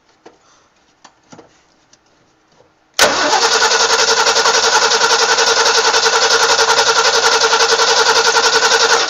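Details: Abandoned barn-find 1960 Ford Falcon Ranchero, while fuel is being fed into the carburetor bowl: the starter spins the engine at a steady three and a half beats a second for six seconds, never catching. Crank, no start; cause not confirmed.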